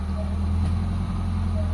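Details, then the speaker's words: Mitsubishi Lancer GLXi 4G92 manual, cold start, after cleaning the ISC, idling smoothly; idle rises steadily as the steering wheel is turned, showing the idle servo works, where before idle was unstable and stalled in traffic with aircon. "Habang nililiko natin manibela, tumataas yung idle mga boss. So ibig sabihin goods na goods yung ano natin, yung serbo natin mga boss."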